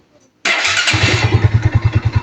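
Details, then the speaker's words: Kawasaki NS150 two-stroke after engine refresh: electric start catches at once and settles to a steady, even idle pulse; smooth and healthy. It used to die when revved until the carburettor was properly tuned. "Uy! Ganda ng andar, oh."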